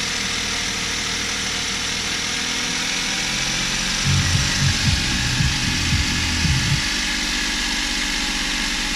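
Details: Suzuki Every Wagon DA64W, K6A 660cc, after replacing belt tensioner bearing (NGK 6909 DUM1) and tightening belt; steady even idle, previous rattle from belt side gone; normal idle.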